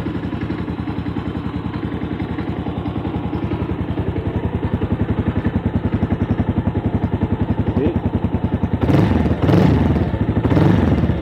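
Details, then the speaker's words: Bajaj Avenger Cruiser 220 with 2400 km, stored two months without fuel: steady even single-cylinder idle, about 3.5 beats a second, no misses; idle fine, but suspected clogged main jet and emulsion tube cause uneven running under way. "ahora vamos a aprenderla y vamos a corroborar ahora cómo está funcionando que se puede escuchar qué una moto en ralentí regula bien no tiene problema"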